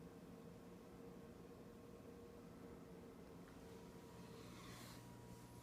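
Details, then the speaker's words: Lower oven of a double oven set to bake at 350: the fan is barely audible, only a faint steady low hum, normal, unlike the noisy upper oven whose fan runs constantly. "I'm coming down to the lower oven you you can barely hear the fan maybe a little hum"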